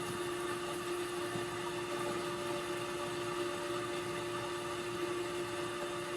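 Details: 2013 Toyota Camry with AC not blowing cold, running with fans on after a leak check and before charging R134a at the low-side port. Steady, even rush of air with a faint constant hum, no rubbing or ticking; cooling fans sound normal.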